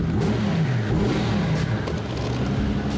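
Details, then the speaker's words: Mercedes S600 V12 bi-turbo, bought cheap as a non-runner, now running: a deep, even engine note rises and falls smoothly through several revs with no misses or knocks; a healthy V12 revving. "that is 12 cylinders definitely"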